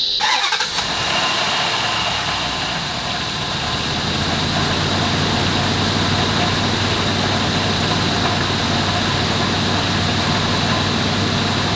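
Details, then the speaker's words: Chrysler Aspen started up: loose, gravelly rattle like rocks in a plastic cup riding over the idle; owner suspects the worn fan clutch (water pump also due), source unconfirmed. "I guess it sounds like rocks like the description of it is rocks and a plastic cup I guess that's like the only description I can give for that"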